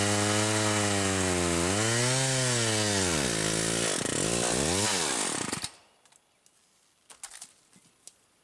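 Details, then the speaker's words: Stihl 028AV chainsaw, new spark plug, about 150 psi compression, spare bar with .063 gauge chain: revs up and sags unevenly, then cuts out; rough running, saw so hot it boils the fuel, cause unknown. "well I can't possibly be a good sign at all plenty of compression but man something just doesn't sound right"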